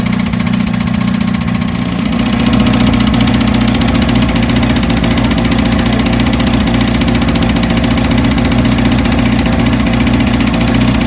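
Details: 1982 VW Vanagon Westfalia diesel on a chilly day, just started after a new battery, glow plugs and starter: even clatter at steady idle, about three to four beats a second, no misses or surging. A normal, healthy idle.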